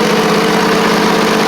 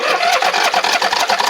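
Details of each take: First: Briggs & Stratton V-twin on a Poulan Pro (Craftsman) riding mower after fitting a new carburetor with aluminum intake: steady, even idle, a little popping but nothing crazy, no longer flooding; running much better. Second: Poulan Pro (Craftsman) rider, Briggs V-twin that ran well then choked out: about two seconds of choppy cranking before it catches roughly; carb flooding heavily, fuel pouring in, needle and seat failed.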